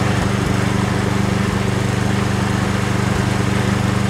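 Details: Yardworks two-stage snow blower small single-cylinder engine, pull-started because the electric starter seems faulty: runs steady and even with a regular low thump at constant speed, no misses or surging; normal running.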